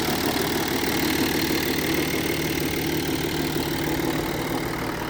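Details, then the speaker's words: 2005 Audi A6 Avant 2.7 V6 TDI, stock, heard in the engine bay at idle: a faint steady whine over the even diesel idle that does not change, from the power steering pump, which is known to be noisy. "There we go. There comes that noise. That's from the power steering pump somewhere here."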